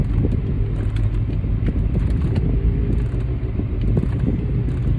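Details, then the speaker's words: 2008 Mercedes-Benz CL550 (W216) while driving: low, steady droning hum under road rumble whose tone changes when steering left; wheel bearing suspected, corner unconfirmed. "yeah you can hear that when i turn the steering wheel left the tone changes so it probably is the wheelbarrow"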